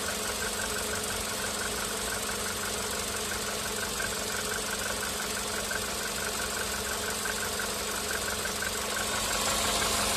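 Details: VW Polo Sedan CFNA engine warming up on firmware 9970: light, regular tapping about three times a second over the hum; piston slap, heavier knock starting around the fifth minute of warm-up, earlier on firmware 8252.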